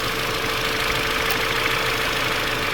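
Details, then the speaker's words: Audi A5 1.8 TFSI convertible after oil separator replacement and boost pressure sensor wiring repair: even steady idle with constant mid-pitch tone and airy whir, holds without hunting; engine light on but running fine. "It's idling. All right. Is it holding its idle? That seems to be running all good."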